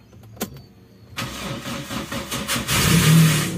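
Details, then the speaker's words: Daihatsu Taruna EFI after tune-up: about 1.5 seconds of slow, laboured cranking, under 1,500 rpm, before it fires and revs up. Long start is caused by a heavy, weak starter motor, not the engine. Slow cranking. "Memang dinamo ini kurang kencang ya guys, nggak penuh 1500 rpm yo. Loh kayak gini. Jadi itu panjangnya bukan karena mesinnya yang startnya panjang, tapi karena dinamo starternya yang berat, pagi siang malam sore kayak gitu yo."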